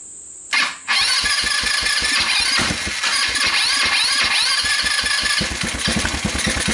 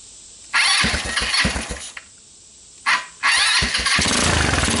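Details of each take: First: Rapidity GY6 150cc quad after a PZ27 carburetor swap, running on a hacked pit bike CDI: it catches, then runs uneven with stumbling beats and won't rev to full RPM; maybe slightly better but still bogs, later traced to badly adjusted, too-loose valves. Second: Rapidity GY6 150cc ATV after PZ27 carburetor swap, ignition swaps and valve adjustment (misadjusted valves caused bogging and stalling; timing chain checked tight): fires up, cuts out briefly, restarts and settles into a steady, even run with crisp exhaust, no valve tick; much better.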